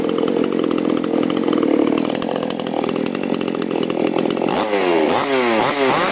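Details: Chainsaw (5200/5800-class) after new spark plug and carburetor retune of H and L screws from 1.5 turns: strong, even scream while cutting, revs cleanly up and down without bogging; healthy, well-tuned running.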